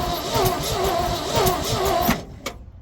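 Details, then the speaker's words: 1970 Ford F600 dump truck, unused for years, cranked with a remote starter button: uneven chug about two and a half beats a second, never catching; spark and distributor points to be checked. "let's get under that distributor cap and see if them points are in any kind of shape. We'll see if we can get this thing to make some spark."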